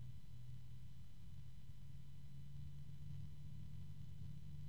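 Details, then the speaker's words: Gelid Stella Infinity 120 PWM ARGB PC fan (max 1600 rpm) spinning up: quiet, steady low hum under soft airflow hiss with faint ticking and high tones, possibly from the bearing; fan hum. "now I can hear the fan itself blowing air bit of a hum"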